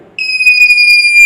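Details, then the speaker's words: DIY soil moisture detector with probes pushed into wet potted soil: a loud steady high-pitched beep starts abruptly and holds, signalling moist soil; in dry soil it stays silent. "आप लोगों ने आपको कुछ सुनाई दे रहा है कि नहीं दे रहा है इसमें बीप की आवाज आ रही है"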